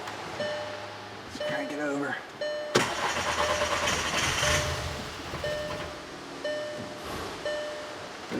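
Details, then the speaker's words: 2009 VW Passat 2.0T GDI, stalls and won't restart, check engine light on: starter turns steadily about two seconds but never fires, low-side fuel gauge not moving; crank no start, no low-side fuel pressure, fuel pump voltage checks next. "can see that gauge that gauge is not moving at all crank it again nothing all right guys so this confirms that our problem is on the low side"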